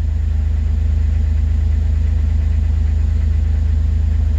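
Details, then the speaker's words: 2006 Jeep TJ 4.0 at idle just after restarting, following oil pump drive assembly and camshaft position sensor replacement for P0016 code, codes cleared; steady even idle with regular firing and no misses, ticks or knocks; normal idle. "we're gonna shut the car off and we're gonna fire it up and the engine code is gone last night some of it came right back on and see what it does so far so good"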